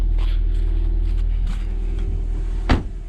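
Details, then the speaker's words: 2006 Nissan Altima that sat almost a year without a battery and wouldn't run, after new fuel pump and adding gas: low, smooth, even idle hum, no misses or knocks, door thump near end. Normal idle. "Oh yeah, it's working. There we go, it runs, yay!"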